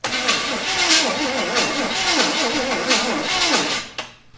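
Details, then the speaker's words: 1974 Chevy Camaro sitting 24 years: starter cranks the engine at an even pace for several seconds but it never catches; no spark, ignition points likely need cleaning, with a jumper wire run to the coil positive. "of course we don't guess we'll have to clean up some points who would have thunk"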